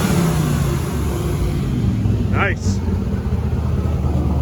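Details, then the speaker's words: 1957 Chevy 1300 pickup, twin-turbo with wastegates, cold with coolant at 154°, free rev: deep rumble with brief whistle rising sharply as the turbos spool, then settling; normal turbo spool. "can hear the turbos [Music] there we go beautiful"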